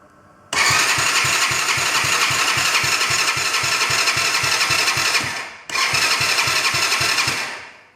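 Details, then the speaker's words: Broken quad bike with borrowed good battery, key and kill switch on: starter spins the engine briskly at about four compressions a second, pauses, cranks again; healthy cranking, carb later found leaking fuel. "that sounded good we'll check the fuel and then see if it starts"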